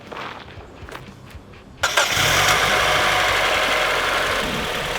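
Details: Mazda Miata engine cranks and catches, then settles into a fast, light metallic clatter at about four per second at idle; persists with the VVT solenoid unplugged, top-end rattle.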